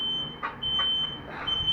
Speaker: the one there's no fire I'd only sounds on with the smoke alarm and there's no fire